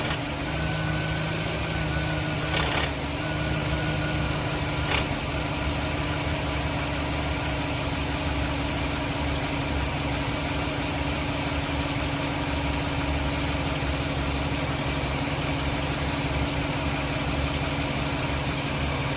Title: 5.3 L 2010 Silverado 1500 strange noise